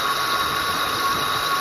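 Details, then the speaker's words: 2007 Ford Explorer XLT, 4.6L 3-valve V8, about 110k miles, engine running: a steady high-pitched whine that rose with rpm. A listening rod traced it to the wobbling lower idler pulley, whose bearing was worn, and all the pulleys are to be replaced. "Definitely, to me, sounded like that's where the noise was coming from when I was using that aluminum rod."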